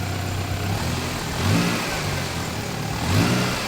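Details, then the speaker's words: Engine grossly overfilled with oil: runs rough and swells through two revs as the crankshaft whips the oil; oil pressure holds around 25 PSI. "Oh, it's running rough. Yeah, you don't ever want to see an engine do that. So for sure right now, the crankshaft is striking the engine oil."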